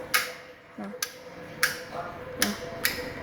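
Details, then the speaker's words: Krisbow pedestal fan speed switch pressed repeatedly: several light, dull clicks instead of the loud crisp snap when new; the switch no longer clicks sharply. "Jadi biasanya itu cetrek gitu, yang keras banget, strike gitu, nggak nyaring. Ini masalahnya nggak nyaring."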